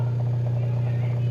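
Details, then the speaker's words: Samsung twin-tub washer that squealed during spin, motor run with basket removed after greasing the shaft and seal bushing: smooth, constant low hum, no squeal or scraping; healthy. "no está haciendo ese rechinido. Como ven, ya colocamos aquí grasa en la flecha, y también ya colocamos pues adentro del buje del sello, amigos."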